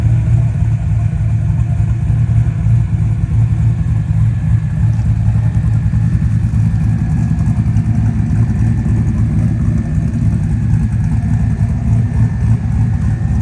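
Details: LS-swapped one-ton Jeep with an electric power-steering cooling fan, start-up: deep, steady V8 rumble with an even, unbroken beat and no knocks or misses; normal idle.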